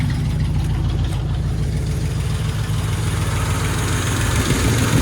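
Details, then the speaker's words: 1968 Cadillac DeVille V8 cold start after an oil change (possibly slightly overfilled): rough, fast steady idle with a heavy low rumble. The automatic warm-up throttle sticks and the carburetor needs adjusting. Rough at first, smooths once warm. "there she is there she is a little rough to begin with once she warms up she's good the cardboard needs to be adjusted all right throttle sticks so i got automatic warm-up throttle sick"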